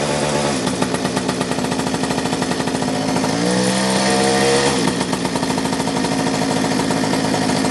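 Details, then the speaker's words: Restored two-stroke mini moto, hot day: engine keeps buzzing with a brief stumble and pitch shift midway but never dies. The faulty kill switch only partly cuts ignition; later it kind of works. "I find a way to turn it off. The kill switch is kind of trying to work, but it's not working very well. You can hear it."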